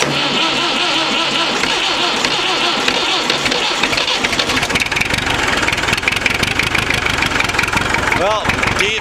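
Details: Massey Ferguson 65 diesel tractor cold start without ether, intake-manifold heater coil preheat held about 25 seconds: cranks briefly, catches cleanly and settles into steady, even diesel clatter with no stumbling; healthy cold start and idle.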